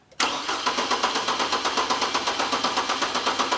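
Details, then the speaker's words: 2008 Hummer H3 with a misfire, cranked with the pedal floored (clear-flood mode, no start): the starter cranks at about four pulses a second with an uneven beat, as one cylinder is consistently lower in compression. "So, we consistently have a cylinder that's a little bit lower than the other ones."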